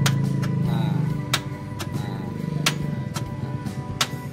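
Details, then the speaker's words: Toyota Kijang Kapsul petrol, in neutral with the dash lit, recorded from inside the car: sharp single clicks at an uneven pace, about seven in four seconds, with no cranking; the starter motor won't turn and its wiring is to be checked. "kayak gitu suaranya cepek cepek"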